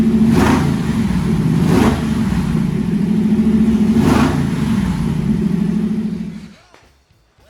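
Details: First fire-up of freshly swapped 335hp supercharged Ardun flathead V8 in 1932 Ford Roadster, magneto ignition: lumpy deep beat at steady fast idle with a few throttle blips, then shut off; healthy running, aside from a leaking AN oil fitting at the gauge line.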